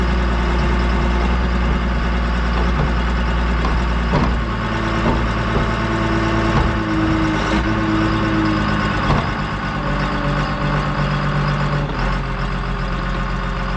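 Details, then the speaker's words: Diesel dozer idling with a heavy rumble and a loose, uneven pulsing flutter. The flutter was not there when it was run the previous year; cause not yet identified. "all right so I don't know if you guys can hear that but that thing's got a little flutter in it when I looked at it last year and run it it did not have that"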